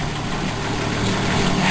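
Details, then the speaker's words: 1966 Ford Mustang inline-six with small oil leak, idling after a quick start: smooth even low rumble, no knocks, misses or ticking; normal idle, running strong. "You can see it's running pretty strong. And it started up right away, so you should get it in relatively the same condition."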